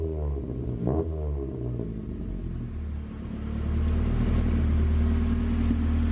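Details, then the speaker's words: 1991 Honda CRX Si with JDM B16A swap, just restarted after running out of fuel; engine climbs slowly and sluggishly on throttle, flat and hesitant, bogs; also has a misfire. Cause not confirmed. "i thought it was just messed up because it's already been not running right and it still does bog so that issue isn't f"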